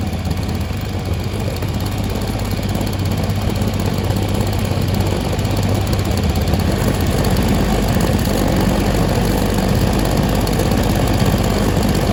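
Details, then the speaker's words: Stihl SH 55 two-stroke handheld blower/vac, before carb adjustment: steady, fairly low drone that never reaches a crisp high scream; sounds held back, probably lean and short of revs. "does sound like it's uh there's a bit more to give in terms of the throttle so just one second here"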